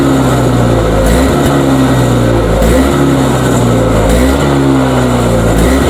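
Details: Toro single-stage two-stroke snowblower, surging for about five years, started outdoors after primes, carb suspected: revs rise and fall roughly every 1.5 seconds at no load; clear hunting surge.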